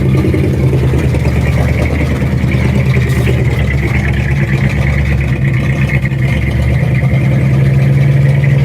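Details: 1967 Ford F250 crew cab after fuel tank cleaning and new fuel line and filter, filter now staying full of fuel; low, even idle rumble with no dropouts or stumbles, engine idling normally.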